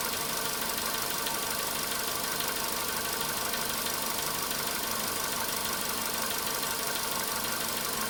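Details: Volkswagen Polo Sedan cold-start engine knock: light uneven tapping about one and a half per second over a cold idle, easing off as it warms, faint by about 4:40 minutes at 55 degrees.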